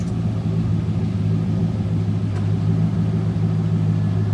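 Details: C5 Corvette Z06 after Magnaflow cat-back exhaust install, checked for leaks: deep steady V8 burble at idle, even low rumble with no ticking or hissing.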